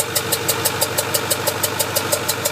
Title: Ford F450 6.4 Powerstroke popping noise